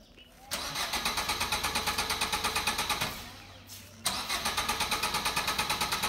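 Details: Car cranks steadily at about three turns a second but never fires, repeated twice; the cause was a loose battery wire, and the car started once it was fixed.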